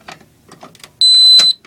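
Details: Radionics D7022 fire alarm control panel: a single sharp, high steady beep of about half a second over a quiet room, the trouble sounder after a disabled pull station was pulled, putting the panel into trouble.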